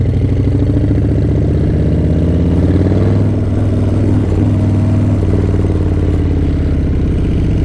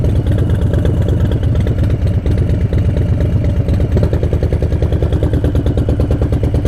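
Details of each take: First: Harley-Davidson 131 Breakout (M8 V-twin): loud, lumpy idle with a rough clattering knock over the low thump, sounding like engine knock and occurring more quickly now; irregular, cause unconfirmed. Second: 2018 Harley-Davidson Breakout, M8 engine built from 107 to 131, riding: lumpy, uneven V-twin idle with knock-like beat as rear cylinder deactivates at a stop; normal heat-management system, not engine knock.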